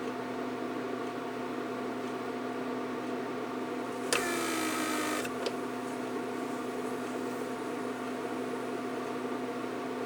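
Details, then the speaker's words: Repaired 1999 Mercedes S-class (S500) door-lock PSE pump on a bench test with the pressure reservoir deliberately cracked open. A steady electric hum with a short sharp hiss of escaping air; the pressure leak keeps the pump cycling. "Pressure is escaping. I don't know if you hear hissing. You hear how the pump cycles. This is pressure leak."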